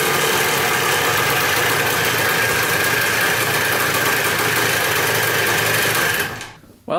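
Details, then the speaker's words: Dirt bike bought in a four-bike lot, restarted after only a carb clean and fresh gas, clutch adjusted: a crisp, buzzy two-stroke idle at an even pace, then shut off; normal idle. "it doesn't get much better than that basically all we did was a carb clean put some gas in this thing and uh i fired right up"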